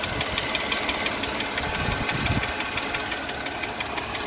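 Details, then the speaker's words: Mercedes W211 with 112 petrol V6 idling with a sharp light tick, about three per second, from both cylinder heads per electronic stethoscope; appeared a month ago and worsened, recorded before changing to thicker 10W60 oil. "Сейчас я заведу, послушайте, как этот двигатель цокает. 112-й мотор. Вот. Вот такой звук. Звук идет, значит, мы его слушали в наушниках таких электронных с удочкой. Звук идет из головы."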